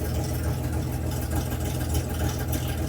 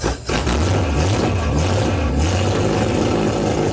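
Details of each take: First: Restored Debonair engine idling on choke: steady, even low idle with a smooth beat and no knocks or misses; running better than ever before. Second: Debonair engine under restoration, cold, no choke yet: catches and stumbles unevenly, revs surging and sagging with dropouts, struggling to keep running; runs well once choke is applied.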